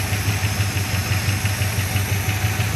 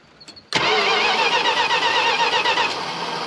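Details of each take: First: 1975 Chrysler Cordoba V8, first run, coolant temperature building: steady low burble at idle with an even pulse, no knocks or misses; motor described as a little ticky. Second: 1975 Chrysler Cordoba, long stored, new battery cables fitted: engine turns over at about four even beats a second without catching; sounds like a low-power starter, unconfirmed.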